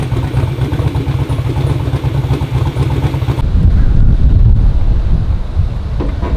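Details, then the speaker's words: Twin-turbo Black Sheep V8 in a street car at first fire-up, with a factory starter and rear-mount radiator: a deep, lumpy, steady idle with no knocks or misses. Idle and running are great; a slight starter issue is possible. "idle's great runs great"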